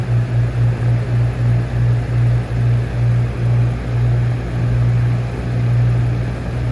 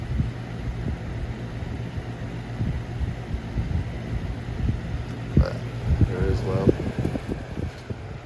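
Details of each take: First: 1999-2000 Lasko box fan model 3733 with flower petal blade on medium speed: low hum throbbing about three times a second with a dull rumble underneath; motor bearings dry and needing oil. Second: 1999-2000 Lasko box fan model 3733 with flower petal blade on low speed: soft, even low whoosh with faint steady hum and a few light rattles, probably from the brittle handle; quiet, healthy running.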